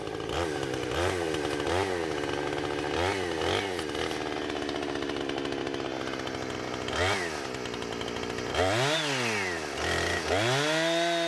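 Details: Husqvarna 455 Rancher two-stroke chainsaw with about 4 hours total runtime, previously running rough after warm-up, now after ignition coil replacement: crisp rise to full howl in repeated cuts, pulling cleanly without stumbling or dropping out.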